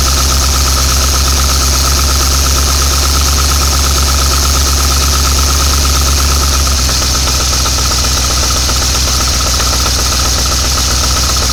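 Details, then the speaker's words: 1986 Chevy C10 Silverado V8 abandoned 15 years, carb hosed with cleaner, fed from fuel pump: slow, even idle around three beats a second, runs on its own but idles low; fuel leaking at filter housing. "all right it's idling on its own a little on the low side but it's idling on its own"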